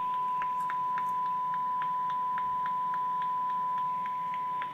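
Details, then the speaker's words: Yaesu FT-2312 23 cm (1.2 GHz) radio, after repair, receiving a 1298 MHz FM generator signal with 1 kHz modulation: clean, steady 1 kHz tone without dropouts or crackle; receiver working properly. "It's beautiful, you can hear the beautiful carrier."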